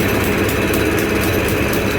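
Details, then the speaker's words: Mahindra XUV500 W9 diesel idling, not overheating: hard, steady clatter and slightly lumpy beat because one cylinder's faulty injector isn't firing; mistaken for a seized piston, injectors replaced and coded. "एक cinder का injector यह सिलो के अंदर fire नहीं कर रहा था"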